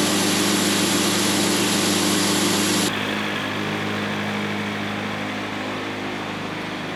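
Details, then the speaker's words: Sawmill bandsaw cutting a log: steady whine, then a sudden zip and change in tone as the blade hits a nail, damaging the blade set so it no longer sounds right; bandsaw blade damaged by nail. "Every time I hit metal on a log, I would say at least 9 times out of 10, I can hear it exactly when it happens. You hear that little zip that goes on the blade, and you start hearing the set of the blade be messed up and it doesn't sound right."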